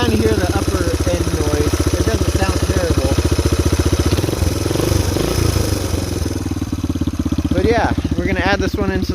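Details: 1981 Kawasaki KL250 single at idle, about 40 years old; it burns oil from a burnt oil control ring, and its valve clearances were checked. Loose, uneven top-end tapping over the thump suggests valve train noise, unconfirmed.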